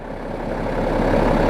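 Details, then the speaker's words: BMW 535d F-series with ZF 8HP automatic, about 60–70,000 km, idling in P during gearbox oil change, gearbox outlet 12 °C, 2.5 bar pressure, recorded from under the car: steady low diesel rumble, even beat, no knocks; normal idle. "Écoutez-moi ce petit ronron."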